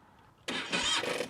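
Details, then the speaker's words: TRK 502X motorcycle left standing about two months: one brief weak starter whir that dies in under a second with no firing; engine cranks but won't start, owner suspects a dead battery needing a jump starter. "तो भाई साहब इसकी जो है ना battery चली गई है। और अब उसको चालू करने के लिए हमें जो है ना वो जंप स्टार्टर चाहिए। लगेगा।"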